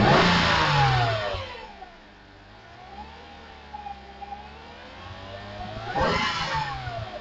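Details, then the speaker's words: Mercedes C320 revved right after K&N filters were installed, to hear any difference; two clean revs rise and fall smoothly with no knocks or rattles; healthy, with a slight improvement perceived. "On va écouter le petit bruit s'il y a une petite différence."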